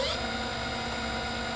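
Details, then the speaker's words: Hall-sensored brushless longboard motor lifted off the floor during the VESC setup motor test: a quick spin-up to an even, steady electric whir with no grinding, clicking or stutter. The motor runs normally. "the motor spinning exactly as it should."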